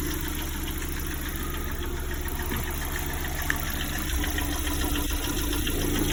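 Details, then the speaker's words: Lada Priora at 58,000 km, warm idle: dull, uneven knock at roughly three per second that appears only once the engine heats up; owner says it is not the hydraulic lifters and suspects a piston. "Как будто поршень, что ли, стучит. Да, только при нагреве начинается. Когда у меня холодный, ничего, нагревается машина, начинает такие звуки делать."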